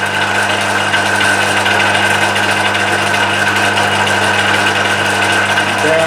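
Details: Emco Maximat V10-P lathe on a phase converter, after cleanup and shear pin fix with aluminium wire; power feed engaged, steady motor hum with light even gear whirr, no knocks or chatter; normal.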